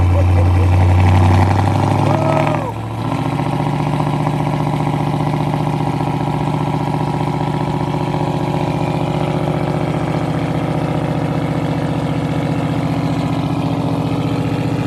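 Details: 2019 Dodge Charger Scat Pack, a crash total loss with front-end damage, cold start. Brief dip as it catches, then a loud, steady, even V8 idle with no knocks or misses; it sounds healthy.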